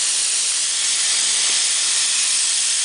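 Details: All American 930 pressure canner venting steam for 7-10 minutes before the 15 psi weight goes on: steady, even high hiss with no sputter or pulsing, normal venting.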